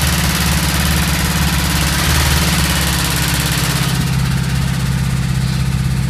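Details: Worn connecting rod bearing shells knocking on a VW Golf 2 1.3 petrol at idle: dull, rapid knock keeping time with engine speed under the running noise.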